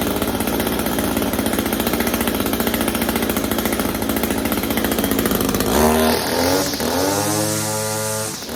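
Two-stroke fires right up and holds a steady, buzzy idle with no misfire, then revs drop away cleanly; runs healthy.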